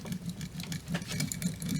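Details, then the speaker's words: MasterPro replacement steering gear box off a 2005 Ford Excursion, worked by hand on the bench: irregular clicking, knocking and rough scraping from internal play at the piston, with bearings too small or grooves too big; seemingly poorly rebuilt. "knocking noise getting a lot of play inside of here that means that either the bearings in here are too small or the grooves right here are too big either way i'm getting play inside this piston and that's not good"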